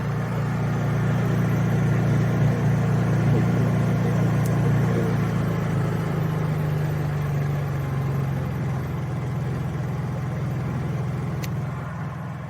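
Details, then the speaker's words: Honda EU3000is generator in eco mode with cheap aftermarket Huayi carburetor and factory servo: steady, even low hum easing down a little in speed and holding there without hunting; runs way better than before. "Yeah, that runs way better. I don't know what was the deal, why that thing kept surging and I couldn't get it to not."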